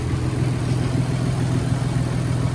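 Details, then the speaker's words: Warm Nissan 300ZX Z32 project car after installing junkyard parts; low, steady, even idle hum, smooth and quiet with a slight lope and no ticking or misses; normal idle. "still got a little bit of a lope but it's not verbally so this thing is idling smooth and quiet oh my god"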